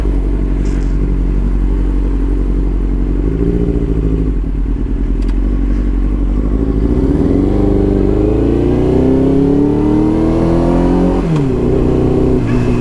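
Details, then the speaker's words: Yamaha R6 5SL motorcycle with failing ignition coils, not idling properly and not hunting at idle as usual, no fault code: engine stumbles and lags, revs climb slowly, struggling to pull off and needing lots of throttle with clutch; hesitation from faulty ignition coil. "It's like really struggling to pull off. I'm having to give it a lot of gas with the clutch."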